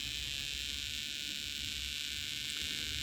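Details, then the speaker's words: Mid-1960s Fuji Cherry 3-inch tape recorder: faint steady hiss with a soft, low pulsing buzz in playback that changes with motor speed. Motor noise in the audio; a capacitor is suspected, and replacing it has not helped much. "right so that's the noise i'm trying to get rid of"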